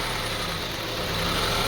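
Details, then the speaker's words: 2002 Honda CR-V 2.4L petrol engine idling roughly, rpm unstable and hunting up and down, lumpy uneven beat; an air leak from a cracked air hose was found; throttle body, spark plugs and excess oil were also suspected. "the RBM is not stable on idling it goes up and down a little bit and you can listen to the engine sound"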